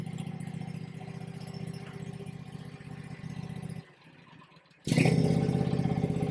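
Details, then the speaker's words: Kawasaki V-twin on a Bad Boy zero-turn mower, rebuilt after a fire with parts from a near-identical 691/726 motor, gives an even putter, a brief drop-off, then a clean strong rev with no knocks. It is charging about 14 volts, with a little smoke from the bottom. "Oh, she sounds good. She sounds real good. She's charging."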